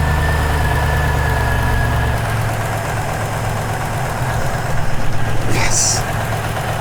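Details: 2001 Toyota Land Cruiser 100 series, 4.7-litre petrol V8, off the road since 2016, idling after an alternator replacement: steady low idle with an even rumble, no knocks or misses; charging at 14 volts, running normally.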